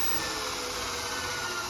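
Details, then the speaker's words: Fiat 500 electric conversion, rear-mounted motor on the gearbox out of gear, controller in drive via 12V battery, throttle applied: smooth, steady high whine with even hiss and no knocks or grinding; healthy motor revving freely. "So now we are in drive. If we give some throttle, I'll try to get both in here. You can actually hear the motor revving up."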